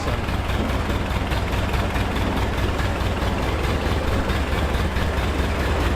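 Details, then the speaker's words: Ford 8N tractor four-cylinder, revived after valve and carb work, warm after running a couple of minutes: steady, even low putter at idle with no knocks, misses or hunting, and good oil pressure; normal idle. "idled right down. Listen to it. Thing's nice and quiet. Making great oil pressure"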